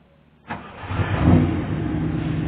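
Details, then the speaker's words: Triumph Stag first start after fuse box (fuse holder array) replacement; short crank, fires immediately into steady smooth idle with no misfire; normal engine start. "Let's see whether I'll put everything back in the right way, and we'll see if she starts."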